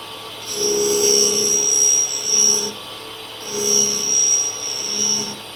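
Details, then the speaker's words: Clarkson cutter grinder forming flats on an HSS spade drill, about 1.5 thou infeed; light high hissing rub over two slow passes, no bite, wheel skimming and taking off little metal. Grinding wheel not cutting effectively. "So as you can hear, it's engaging the wheel a bit, but it's just not taking a lot of material off."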